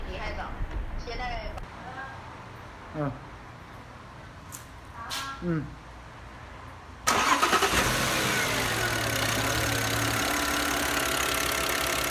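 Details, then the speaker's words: Audi C6 2.4 at idle after repairing a known intake-manifold rattle (a rhythmic knock that stopped when the vacuum line was pulled), fixed by slightly bending and greasing the intake shaft: even, steady idle, knock gone, normal. "大家现在可以听到这个声音一点都没有了，彻底消失了。咱们这台车也是维修完毕了。"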